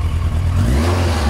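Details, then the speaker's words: Yamaha Diversion motorcycle with new exhaust, warmed up, at low revs after a stuck choke cable was found: deep, smooth exhaust note rising and falling with throttle, no misfire or knock, some fairing rattle; sounds healthy. "this i mean it's a fairing bike it rattles it's what it does but i do need to cut it out a little bit but um yeah sounds great"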